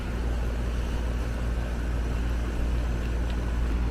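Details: Apartment condenser after addressing a sloppily installed replacement condenser fan motor, 1/16 hp, 1.9 A (original spec 1/8 hp): steady, even low hum, no rubbing, ticking or wobble; fan motor running normally.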